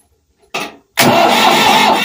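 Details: Ford 4000 tractor diesel after replacing the injection pump inlet cover plate and bleeding air from the fuel system. A short crank, a brief pause, then it catches at once and settles into a steady run. Fuel is now reaching it properly.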